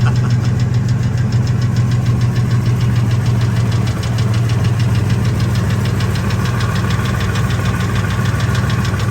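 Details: 1999 Ford F-250 V10 idling in park: steady, fast light tick about three per second, comes and goes at 600–1800 rpm, gone above 1800, loudest near the flex plate; headers checked without leaks, injectors and coils replaced; cause still untraced.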